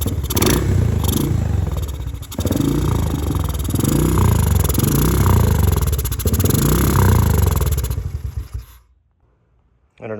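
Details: 2017 Honda TRX250X ATV, believed model year: single sputters unevenly with backfire pops as throttle is released, then dies; backfire and stall.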